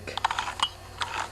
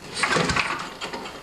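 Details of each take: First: Older 3.5–5 HP Tecumseh recoil pull start, removed from cowling: light ratcheting clicks as pulley is turned, rope never tightens; broken rewind spring inside the recoil. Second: Older 3.5–5 HP Tecumseh recoil starter on a small MTD-made John Deere snowblower, after repairing a cord that would not rewind: quick pulls with a crisp ratcheting rattle, cord rewinding cleanly each time; recoil works after repair.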